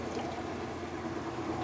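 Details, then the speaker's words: Kenmore washer that would not spin and made a clicking sound, tested after repair with the motor re-braced: steady, even motor and drum noise with no clicking or knocking. Normal washer running. "I'm going to flip it around and test it alright as you can see it works beautifully"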